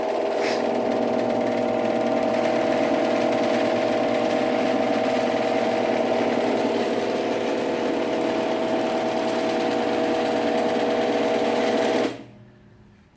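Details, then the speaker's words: GX9000 garage door opener on a full rail running with a steady, smooth mid-pitched motor hum, quieter than the 8550, stopping cleanly. Normal operation. "it's a little bit quieter than the 8550"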